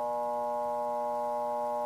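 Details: Electrolux washing machine that makes noise but won't spin: steady low electrical hum from the motor below with no spin-up and only a slight twitch inside; motor stalled on a failed start capacitor.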